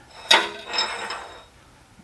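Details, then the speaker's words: Rough iron straightedge casting wedged and clamped on antique Rockford planer table, tapped after tightening: sharp taps die quickly with dull thud, no ringing; solid workholding. "it moves when i tap it hear that sound to me that means it's pretty solid it's not ringing"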